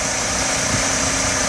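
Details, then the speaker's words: 1997 Mercedes-Benz C180 W202 1.8 L four-cylinder, automatic, 93,000 miles, one owner, original: even, steady warm idle with no lifter tick, knock or ping; no vibration, mounts good. "This is what right looks and sounds like. The motor isn't vibrating. The motor mounts are good. Just a really smooth running, really clean car."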